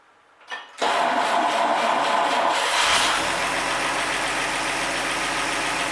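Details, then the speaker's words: 1948 Chevy 216 stove bolt six, first run since 1989, restarted hot after valve lash was readjusted hot and manifold bolts rechecked: quick crank, then steady, even idle with no ticking or misses; normal idle. "we do have pressure man it runs good rocking out to kansas drinking a dr pepper"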